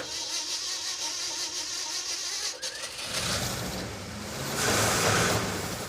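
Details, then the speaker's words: '69 Dodge Charger Daytona clone, 383 V8, just after reinstalling cleaned used carburetor: fires up and runs lumpy, surging, uneven; owner suspects ignition timing way out, timing light reading erratic 13° to 30°. "We got the thing running, but it still runs terrible. I'm going to check the timing because I think that could be way out of whack."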